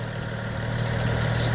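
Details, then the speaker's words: BMW E90 335i N55: steady even idle with a smooth low rumble and no chirp, squeal or rattle; the crankshaft seal isn't making noise, belt drive sounds healthy. "I'm assuming they just heard the noise of the tensioner and maybe assumed the noise was also come from the crankshaft but it looks good it sounds good"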